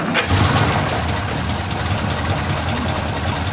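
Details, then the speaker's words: 1936 Cord just returned to service after head work, rear brakes, carburetor and cooling system redone: engine catches and idles with a loose, slightly lumpy, occasionally wavering beat; uneven idle, not quite smooth, cause unconfirmed. "there we go running sounds pretty good it doesn't run quite well I mean I can hear you're gonna hear a little bit here those"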